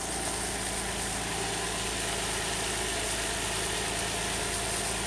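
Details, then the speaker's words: 2003 Nissan Altima 3.5 VQ35DE after a timing chain tensioner repair, alternator disconnected: smooth, steady idle hum with no ticking, hesitation or stumble, and a nice exhaust pitch; the engine is running clean and healthy. "it running it's purring like a kitten listen to that just the way God intended isn't that beautiful"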